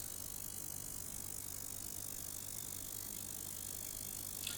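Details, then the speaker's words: Basic ultrasonic cleaner for vape parts with lid open, water in tank showing tiny ripples; steady high fizzing hiss with faint low hum, even throughout; normal operation. "And if you put your finger inside, right, you can actually feel something there, and those are the bubbles, or the water is actually moving on the inside because of the sound"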